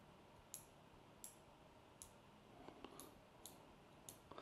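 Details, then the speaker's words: CMMG ZEROED adjustable gas block with 20 adjustment positions, turned with a wrench: crisp, distinct detent clicks about every 0.7 seconds, engaging cleanly and normally. "there are 20 adjustment points here and they are very tactile in feel and you can hear the detent click"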